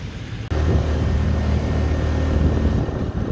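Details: Honda Click 125 V3 scooter after a fuel overflow and an unlocked, pulled-out part were found; engine catches half a second in and settles into a steady, even low drone with no misses or stumbles, running normally.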